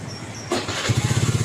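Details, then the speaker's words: Carburetted Honda Beat scooter after repairing a broken ignition-switch (kontak) wire that prevented starting: short starter whir, engine catches within a second and settles into quick, even firing; clean easy start. "Nah ya, hidup dengan mudah. Masalahnya cuma di kabel kontak yang terputus sehingga mesinnya nggak bisa hidup."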